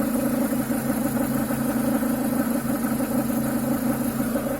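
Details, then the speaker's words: Renault Duster 2.0 petrol idling: a faint bubbling, croaking, gurgling pulse heard on the left side of the engine, caused by a faulty crankcase ventilation (PCV) valve that is to be cleaned or replaced. "Это бульканье, кваканье, кукареканье, кто его как только не называет. Звучит он почему-то именно с левой стороны от двигателя."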